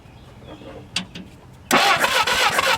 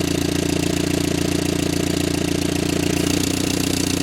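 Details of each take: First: Barn-find Willys Jeep four-cylinder, year unknown: quiet, then starter spins the engine steadily with no firing; no spark at the plugs despite spark at the points and power at the coil; cranks, no start. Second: Barn-find Willys Jeep, 4-cylinder, year unknown, now idling after its fuel pump stopped leaking: steady even idle around three and a half beats per second, low chugging exhaust with no misses; runs much better.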